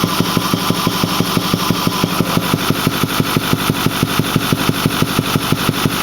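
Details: Ford 6.4L diesel at 208,000 km (129,000 mi), Banks Six-Gun tuner and Ram Air cleaner, otherwise stock, runs smooth with full boost: steady idle with a sharp, even thump about three times a second from the intake; cause unknown.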